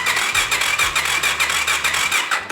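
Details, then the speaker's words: 50HP F150 Power Wheels build with custom exhaust, starter cranking on its own after fixing messed-up solenoid wiring (previously jumped solenoid, no spark): steady rhythmic cranking, four to five compressions a second, no clicking or stalling; normal starter cranking. "we got it cranking on its own the way it's supposed to be."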